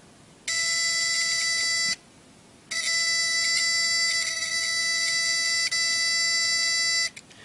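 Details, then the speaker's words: Homemade alarm buzzer on a relay without coil diode, powered by a 9-volt battery at about 80% capacity: harsh, steady high-pitched buzz in two long bursts with a short gap. Works normally, slightly weak. "Now I'm going to hook this up to be able to hear what this sounds like. It's going to be kind of weak because, like I said, this battery only has about 80% of its full capacity, but I'm going to hook it up and you can hear what it sounds like."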